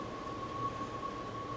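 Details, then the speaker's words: 2004 Cadillac Escalade after an engine swap: a steady, even idle with no stumble or hiss, after a vacuum leak from a brittle, split PCV hose at the valve cover was fixed with a new hose section. Normal idle. "put a section of hose on there you can hear how smooth it's running now"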